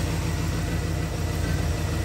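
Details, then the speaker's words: 1947 Hudson pickup with 350 small-block Chevy, TH350, freshly fitted Holley carburetor and new distributor, timing set, at running temperature: deep steady even rumble, no misses or knocks, starts right off. Normal idle. "okay now it's at running temperature I'm pretty happy with that I mean it busts right off so I'm going to call that good on timing"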